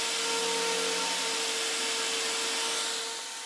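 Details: Pedestal fan after repair, motor remounted on its base with three screws and reassembled; smooth, steady motor hum with even air rush, no clicking or grinding; fan runs properly.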